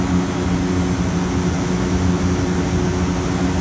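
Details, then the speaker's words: Refrigeration unit compressor during pump-down with the unit kicked into defrost: steady drone never cuts out, running in a vacuum because the low-pressure control is bad; failed low-pressure cutout, after a bad fan motor and temp control. "Low pressure control is bad. So when I shut it off downstairs, it was just up here running, running, running in a vacuum. Or trying to, and then eventually the compressor went off on thermal."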